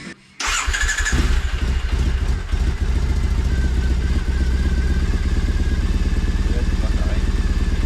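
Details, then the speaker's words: 2011 Triumph Bonneville SE twin after full service and exhaust hole repair: starts quickly, settles to even steady thumping idle with no puffing leak or ticking; sounds much better, healthy. "Sounds good, yeah. Definitely not rolling bad. Yours sounds so much better."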